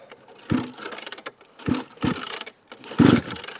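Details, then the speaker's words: Small rope-pull engine cranked with the choke up, fuel on, kill switch set, primer bumped a few times and fuel added: four ratcheting rope pulls, each with a compression thump, but no firing. It has good compression yet won't start. "you feel about the resistance from the compression inside so obviously that's a good thing"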